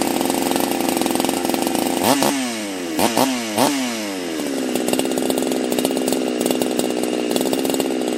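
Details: Husqvarna chainsaw fitted with a pop-up piston; crisp high idle, three clean throttle blips, then a steady even idle, running right.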